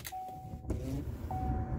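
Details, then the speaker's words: 2010 Chevy Impala key-on after replacing the passenger blend door actuator: steady chimes and low hum, clicking from behind the glove box gone; normal operation. "She is, and we are back to normal. Everything is functioning just fine."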